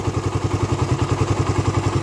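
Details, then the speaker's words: Raider 150 carburetor motorcycle, hot engine: steady quick ticking from the head over a lumpy single-cylinder idle, absent when cold; owner suspects compression release or tensioner, unconfirmed. Top-end ticking when hot. "Ayan ganyan na siya lumalagitik na siya ng ganyan pero pagka malamig Wala naman siya kapagka mainit lang siya tsaka siya dumarating ng ganyan"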